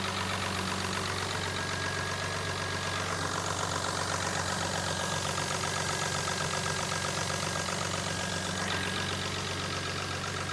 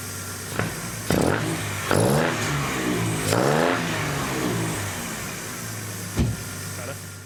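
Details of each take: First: Jaguar AJ30 3-litre V6 (from an S-Type) swapped into an MGB GT, warming up at idle, alternator now charging, very quiet exhaust; smooth even idle, no knocks or misses, smoothing out and idling really well. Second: MGB GT with swapped Jaguar S-Type 3.0 AJ30 V6, warming up at tick-over: several blips, pickup slightly flat and hesitant; owner says it runs a bit lean on acceleration, awaiting proper tune.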